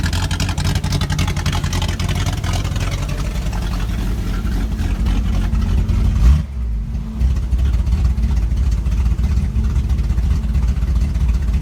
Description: 1978 Datsun L28 had a vacuum leak inside the brake booster.